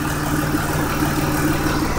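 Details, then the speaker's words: 2004 Mazda6s with a swapped-in 61k-mile 2006 Fusion 3.0 V6 at a steady, even idle with a faint whir and no stumble. Earlier misfires are gone; a failing pulley is suspected. Normal idle. "but I can't compl because all the problems that it had before of misfiring and all that are gone"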